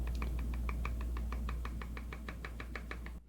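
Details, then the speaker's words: Samsung Galaxy Z Flip 4, shaken while fully closed: quick light clicking/popping as the two halves come apart and touch. Weak or absent magnets not holding it shut is suspected. "So you hear that little popping sound that's these two pieces coming apart and touching."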